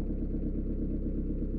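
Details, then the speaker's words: 1.9 diesel (Peugeot/Citroën/Renault) after valve clearance adjustment that cured tappet clicking and poor morning starting: steady, even idle with a smooth low rumble and no tappet clatter; normal diesel idle. "voici le résultat final problème est résolu grâce au réglage au jour 4 ou pas"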